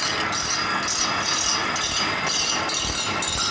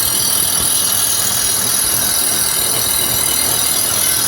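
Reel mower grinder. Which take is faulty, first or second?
first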